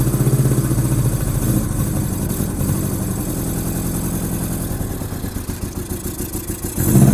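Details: 1987 Honda GL1200 Goldwing, sat many years, cold bike on a cold day, first start: smoked at first, then lumpy, uneven firing that stumbles and surges under a little throttle; owner suspects insufficient fuel supply and dirty carburetors; rough running.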